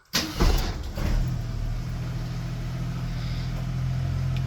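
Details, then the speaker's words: 1973 AMC Gremlin, 30 years in a barn, now starting on the key after a few extra carb adjustments: brief crank, catches at once and settles into a smooth, even low idle with no misses. "she runs, and a few extra carb adjustments, it fires right up with the bump of a key."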